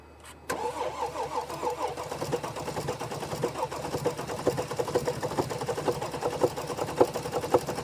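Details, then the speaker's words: 2014 Mercedes GL350 3.0 L diesel with crank-no-start complaint, recorded under the hood: cranks, catches, then runs with uneven lumpy beat and engine shaking badly, misfiring at idle; cause unconfirmed. "I hope you can see the engine shaking. This engine is shaking very badly."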